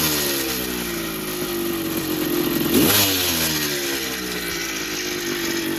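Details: 1982 Yamaha YZ490 two-stroke after six-month rebuild with new bottom-end bearings and seals, started first kick: crisp crackle, steady idle and one clean blip, no knocking, much quieter than before; normal running.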